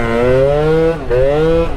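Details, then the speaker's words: Honda Dio two-stroke scooter on a smart carb during tuning, riding: note climbs with throttle, then stumbles and dips before picking up; bog on acceleration, rider suspects slightly lean and needing CVT tuning. "i feel the bike needs a little bit of cvt tuning too if anything it's probably i feel like maybe a little lean now you hear that like"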